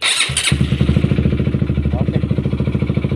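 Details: Honda CBR150/CB150R after replacing the clutch rubber dampers to cure a rough engine noise: engine fires up and settles into an even, steady idle with a clean pulse, no harsh rattle; healthy.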